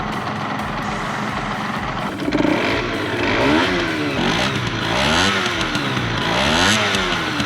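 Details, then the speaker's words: Restored Yamaha RZ50 two-stroke: crisp buzz climbing and falling through the gears, pitch sweeping cleanly into the power band around 7500 rpm; normal acceleration into power band. "Tôi không thể tăng tốc lên một chút, nhưng có vẻ như nó đã bắt đầu vào. Dải công suất khoảng 7500."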